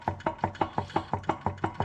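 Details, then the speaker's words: Free Chevy 350 small block from mud truck, 62 psi compression, number two exhaust seat completely gone: crank rocked by hand gives sharp clunks about six a second, pistons not moving; loose bottom end play, cause unconfirmed. "so when you grab the crankshaft you can wiggle it a few degrees back and forth and the Pistons don't move you can hear it inside the block"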